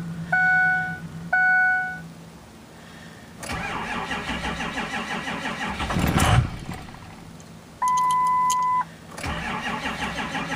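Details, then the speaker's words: 2005 Ford F250 Powerstroke diesel that will not start: chimes, then a long steady crank that never catches, a chime, then more cranking; cranks but no start. "Alright, this is my 05 F250. It will not start."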